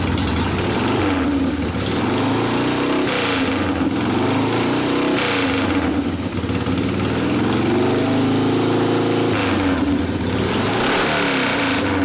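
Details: 1972 Harley Sportster XLCH Ironhead after case repair and engine rebuild (came in with a kick starter that would not turn over the motor): V-twin blipped up and dropping back to loping idle, no knocks or rattles; normal running.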